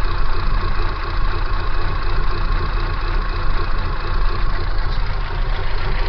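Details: Kia Pride engine: low, uneven idle with a lumpy, pulsing beat and wavering loudness; abnormal shaking at idle, cause not confirmed.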